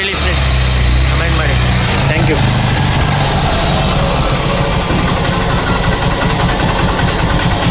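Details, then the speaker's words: 2006 Honda Shine single-cylinder motorcycle, just started after an engine rebuild with head and bore machined and head gasket replaced; loud steady tick-over, no knocks or rattles, idle holds even; normal idle. "Start ಆಗಿದೆ. Sound ಹೇಗಿದೆ comment ಮಾಡಿ ಹೇಳಿ. ನೋಡಿ sound ಬೆಳಿಗ್ಗೆಗೂ ಈಗೂ nice, engine nice ಯಾಗಿದೆ ಹೇಳಿ, comment ಮಾಡಿ ಹೇಳಿ."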